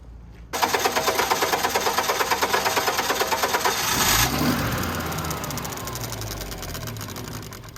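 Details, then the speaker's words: Generac 50 kW propane generator with spark, the fuel solenoid found not opening: quick, even cranking for about four seconds, then it spins down without catching. It briefly hit a little when the valve was tickled, but it is definitely getting no propane. "hmm all right she is definitely not getting any gas um or propane"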